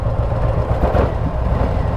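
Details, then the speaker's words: Motorcycle at a standstill with the EITMS heat-management system active, rear cylinder shut off: lumpy, uneven low thudding idle that smooths as soon as throttle is given. Normal cylinder-deactivation idle, nothing wrong. "Oh, my EITMS is active, and I can hear the weird idle."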